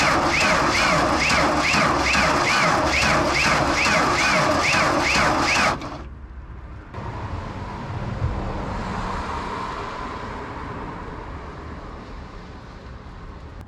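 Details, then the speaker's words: 1992 JLG 60H 4x4 boom lift with the Ford LSG 423 gas engine, non-starting: the starter drags the engine over slowly and laboriously. Slow, hard cranking; the start button seems to stick, and the starter is later found to be faulty. "still definitely turning over hard I don't know let's just keep trying it though"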